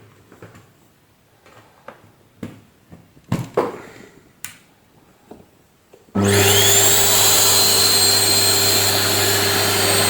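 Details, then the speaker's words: Panasonic MC-CJ911 vacuum cleaner after replacing the 2100 W motor (broken bearings, worn carbon brushes) with a new 2000 W motor: handling clicks, then steady even whir with no grinding or rattle; noise and smell gone, normal running. "giờ không còn tiếng ồn và mùi hôi nữa , giờ nó hoạt động tốt."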